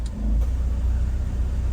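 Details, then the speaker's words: Honda S2000 at operating temperature after injector cleaning and valve adjustment, formerly idling way low with AC on: low even idle rumble about 900 rpm stays steady as AC switches on and off. "test it turn the AC on and off and the idle idle stem pretty consistent it's showing a thousand but it's like 900."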